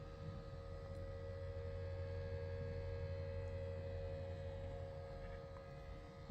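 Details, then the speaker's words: Loud steady electrical hum with a mid-pitched tone from the cooling fan of a brand-new Swann 4K 8-channel DVR, the fan vibrating its housing; fix tried by mounting the fan on rubber O-rings and zip ties instead of screws. "brand new but it's really noisy I'm guessing it's the fan"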